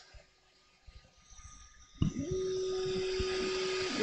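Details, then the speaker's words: Dobot Mooz 2 3D printer, stock main fan at switch-on before Noctua replacement; sharp steady whine over quiet hum, heard over another printer running; loud cooling fan. "so hopefully you can hear the fan and how loud that fan is over the sound of my mark - as printing in the background"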